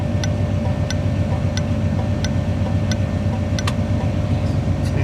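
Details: 1981 Chevy with the engine idling at full voltage, third HM 552 thermal flasher replacing the factory Tung-Sol 224: crisp, regular ticks at roughly two per second, faster than with the engine off; working normally.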